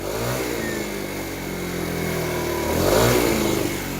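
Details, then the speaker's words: TaoTao 50cc scooter after carburetor work and burning off old deposits with some smoke. It buzzes at idle, then picks up cleanly as the throttle opens with no stumble or bog; now running smoothly. "that's running much smoother to the point where whenever I crank on this now there's no bogging down anymore"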